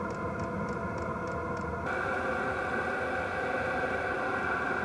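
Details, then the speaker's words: Wippro 8kW all-in-one diesel heater from Temu, new, at start-up: the burn chamber starts with a jet-engine-like steady roar and constant high fan tone, the burner catching and settling into a smooth run; firing normally. "he burn chamber is starting up kind of sounds like a jet engine at first as long as it's primed it should fire up here any second"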